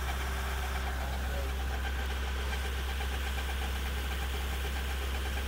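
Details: Nissan NV350 diesel van, still new, with a drivetrain hum. After a brake lining rubbing the drum was moved away, a constant deep drone persists under the engine noise. The mic was held at the propeller shaft and cross joint; that rear driveline source is suspected, not confirmed.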